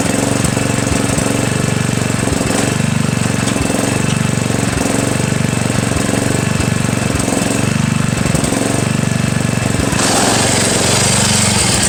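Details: Murray lawn tractor with 17.5 engine, after new Vector carburetor, governor/choke linkage work and valve adjustment: rough chugging start with a loose, uneven knock about four times a second; owner hopes it's the compression release. Cause suspected, not confirmed.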